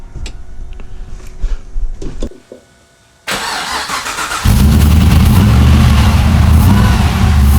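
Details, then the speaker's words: Nissan Patrol build on its maiden run, with oil pressure up and fuel pump primed: cranks and catches after a pause, then holds a steady low rumble on throttle. It won't idle unassisted; owner attributes this to the tune. "It purrs like a kitten, except it doesn't idle, but that's to do with the tune, so I've got to hold my foot on the throttle a little bit, and then she runs all right."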